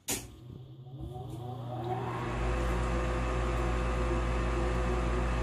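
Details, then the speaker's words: Olsen FB furnace with new RFB181 inducer assembly fitted, replacing the old unit with bad bearings, on a thermostat heat call: draft fan spins up to a steady, smooth hum with no bearing growl, much quieter than the old one. "running through its sequence of operation first thermostat calls for heat induced draft fan kicks on which is much quieter than the old one"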